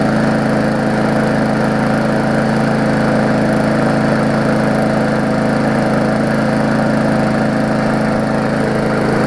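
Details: Murray 3.5hp Classic push mower after extensive service, first test run: small single-cylinder buzz at steady, even pitch, no surging or sputter; smoke clearing, just a little oil in the muffler; running healthy.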